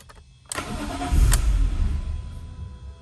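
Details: 2006 BMW E46 M3: starter whirrs and the engine turns over in a fast, uneven chug for a few seconds but never catches; crank, no start.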